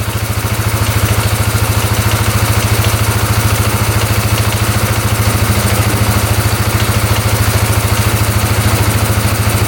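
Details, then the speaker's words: 2010 Polaris Sportsman 550 EFI ATV, not run for years, now running after a line was cut off: steady even idle, low thump about two per second, no knocks, misses or smoke; sounds healthy. "Well, I think we fixed it. We're let this idle for a bit, but yeah, sounds pretty good."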